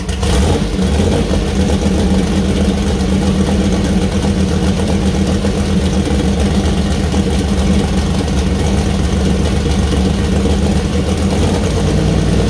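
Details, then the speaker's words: First start-up of fresh 2000+hp LS build (Dart LS Next block, MGP rods, Wiseco pistons, Brodix BR3 heads, .750 solid roller cam): deep steady V8 idle, rev blips rise and fall cleanly, no knocks or misses; healthy new engine. "all right that was nerve-wracking but it runs yeah it runs uh too yeah sounds pretty good"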